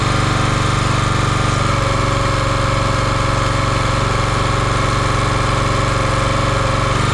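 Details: Champion 27-ton log splitter, 224cc single-cylinder engine, stored outside, restarted while checking a leaking hydraulic hose: steady fast even idle chug with regular firing, no knocks or misses; runs smoothly.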